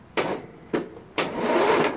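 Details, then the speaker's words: Cub Cadet MTD lawn tractor with new battery, ignition switch hard-wired to the solenoid to bypass seat, brake and PTO safety switches, almost no engine oil: three short bursts of free starter cranking; normal cranking. "Sure does, but we've got no Earl in there, so I'm not going to crank it any more than that, you know."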